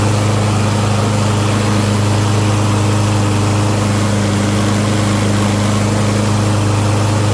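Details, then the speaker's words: Curb-find Lawn Boy mower, first start after storage, cleaned and fresh gas added: steady, even single-cylinder drone at constant speed, no misses or knocks; sounds cleaner, normal running. "So yeah. Looks like it sounds good. It's cleaner."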